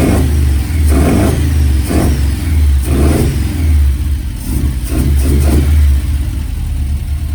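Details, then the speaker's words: Ford prototype Corsair GT with fuel-injected Essex V4 and Capri 5-speed, first start in 1.5 years, idling with air filter off during idle adjustment: steady idle with a light whine from the alloy timing gear; normal. "you can hear that lovely alloy climbing gear"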